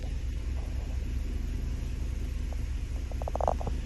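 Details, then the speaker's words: Toyota Hilux 2.7 L 3RZ-FE gasoline, idle set too low at about 600 rpm in Drive: deep, lumpy rumble, heavy shake through steering wheel and shifter, engine feels near stalling; idle screw needs turning up. "that's starting to shake real heavy this idle too low to idle it up"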